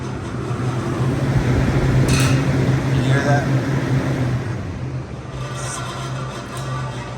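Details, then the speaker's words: Rooftop CU 1A condenser unit for a dairy box, noisy fan call: steady low motor hum with coarse fluttering rattle as the fan spins; worn bearings let the shaft rattle in the condenser fan motor. "right there it sounds like the fan blades going out that's I'm going to try to narrow that down a little bit better because those are bearings the shaft is rattling around in that motor so that is telling me that that is my motor"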